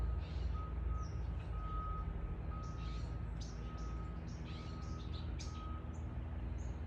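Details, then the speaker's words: Faint, evenly spaced high beeps about once a second from a vehicle reversing in the distance in a park, over traffic rumble and birds: a reversing alarm. "do you also hear that beeping sound of this vehicle that is moving backward that has that kind of alarm beep"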